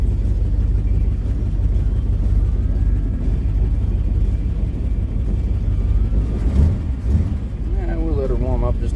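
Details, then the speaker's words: Old Ford daily driver at idle: deep idle rumble with an uneven stumbling beat; possibly dragging a cylinder, plugs to be replaced. "It definitely kind of sounds like it's dragging a cylinder. We're going to check them spark plugs out and see what's up."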